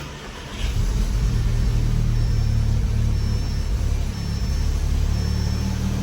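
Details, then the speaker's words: Audi S3 first start after upgraded intercooler, intercooler piping and new turbo muffler install: catches quickly and settles into a smooth, even idle with a low rumble, no misses, ticks or rattles, then a couple of revs; normal start. "All right, everything's running good. Give her a couple revs. Heck yeah. Everything's lined up the way it should be."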